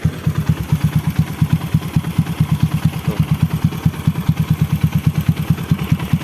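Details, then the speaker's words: Honda Supra X bored up to 140cc, stock PE26 carburetor jetting, air screw 1.5 turns out, open filter, warm idle after starting: even, steady thump-thump with no stumbling or hesitation; idle is normal. "Kondisi langsamnya nggak pincang, nggak nyendat, aman banget."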